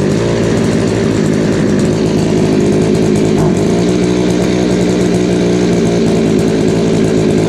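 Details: Craftsman 3.7/Poulan 3700 chainsaw after fitting a new eBay carburetor and fuel line: loud two-stroke drone stumbles mid-climb, bogging on throttle with a high idle; L, H and idle screws need adjustment.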